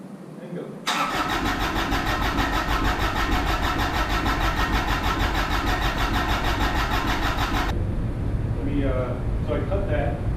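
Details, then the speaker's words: Kubota RTV1100 with D1105 diesel, first start after rework, air in injectors: long, steady starter grind for about seven seconds before the diesel catches and chugs; extended cranking while air purges from the injection system. "keep in mind we're going to have to crank it for a while cuz those ejectors deep all right"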